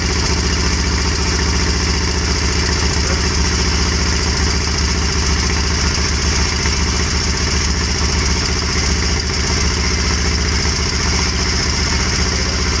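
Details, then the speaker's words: Kawasaki Vulcan 1500 V-twin, previously crashed bike, first start on choke: even, lumpy idle holding steady with no misses or knocks; healthy cold idle. "might do that again because it sounds a bit better now without the choke"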